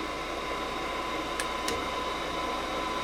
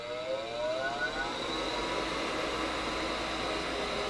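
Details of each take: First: Gas furnace that won't get gas: inducer motor hum, pressure switches close, relay clicks and the igniter comes on, but no gas valve click or burner light-off follows; the gas valve isn't opening. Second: Gas furnace with a no-gas, no-ignition fault, on power-up: inducer motor whir rises in pitch then holds level during the safety check before the igniter; gas valve later fails to open; normal inducer motor startup.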